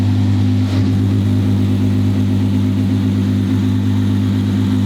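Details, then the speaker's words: Twin-turbo V12 Ferrari at idle on first shakedown, no load or boost yet, kept under 4,000 rpm: steady, smooth low hum with even fast-firing beat, no knocks or ticks; healthy idle. "sounds really cool at idle it's got that V12 hum to it"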